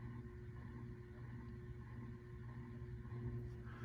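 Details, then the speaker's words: 1998 Encon Corinthian 42-inch three-speed reversible ceiling fan on low speed: steady motor hum with faint rough scratchy texture; worn bearing noise suspected, unconfirmed. "fan now starting on low does have a little bit of bearing noise and it hums but it's not a bad little air mover actually got a pretty nice little breeze coming off of it on low although you can definitely hear the uh scratchiness of the bearings"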